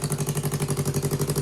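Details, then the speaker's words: Twin-cylinder engine from a cut-up 2015 Yamaha R3, revived after more than a year unused and warming up, idles at about 1,500 rpm: a steady, even thump with both cylinders firing cleanly, unlike the uneven running the day before. "Sounds so nice. Yes. This sounds like both cylinders. Yeah. Like yesterday, it was like boom, boom, boom. Yeah. It's idling. It idles at like 1,500."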